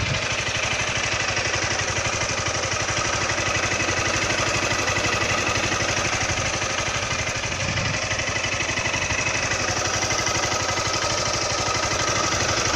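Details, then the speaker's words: Honda Titan 160 motorcycle at 5,000 km, valve adjustment due at 6,000 km: steady idle with sharp ticking about four per second, very loud valve noise; owner suspects valve clatter, possibly normal, unconfirmed. "Barulho no motor da moto. Estranho. Barulho de válvula muito alto."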